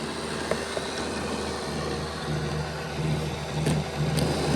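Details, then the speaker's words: Bachmann Dash 9 model locomotive on stationary rollers, rear motor block with poor contact to the housing contact strips stalling intermittently: low electric growl that dips and cuts in and out unevenly, before the contacts were reseated. "The first video clip is going to show you the rear motor with it stopping, and you'll be able to hear the difference between the front and the rear."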